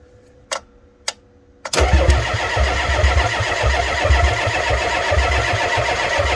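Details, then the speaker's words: Ford F350 7.3 IDI diesel, cold, batteries charged about 30 minutes: two glow-plug controller clicks, then cranks and catches into lumpy uneven clatter; owner suspects bad glow plugs, maybe half working, as controller cycles on and off. "She's obviously got some bad glow plugs. That glow plug controller will start clicking on and off like that if you've got bad glow plugs."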